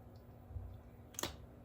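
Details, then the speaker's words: Sump pump float switch, quiet room: the steel ball bearing inside drops to the bottom with one sharp metallic click and shuts the pump off normally after about 12 inches of drawdown (roughly 13 gallons); the pump moves about 55 L/min. "you hear the ball bearing there hit the bottom and it turns the pump off"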